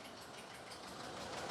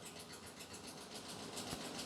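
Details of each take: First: 2019 Ford F-59 commercial, 6.8 V10 gasoline, P0304, running with valve cover off, heard on opposite bank from cylinder 4: even, busy rocker clatter with no standout tick; normal valvetrain noise on this side. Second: 2019 Ford F-59 commercial, 6.8 V10 gasoline, code P0304: uneven idle, engine shaking, quick steady ticking clatter about eight times a second, sounds like it's breaking; cylinder 4 misfire with valvetrain noise from damaged rocker arm.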